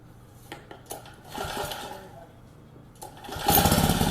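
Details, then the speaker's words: Lawn edger small engine that came in as a no-start, after carburetor cleaned and bowl refitted, on bench: after handling noise it catches near the end and settles into steady, even running; likely dirt in the carburetor had prevented running. "So, it runs nicely. And um there's probably a piece of dirt inside the inside the car body itself that prevented it from running."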